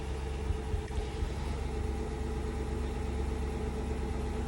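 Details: Infiniti QX56 V8 idling with a deep uneven rumble and periodic stumbles; check engine light, shakes on acceleration, codes P0300 and P0308 cylinder 8 misfire; spark plugs replaced.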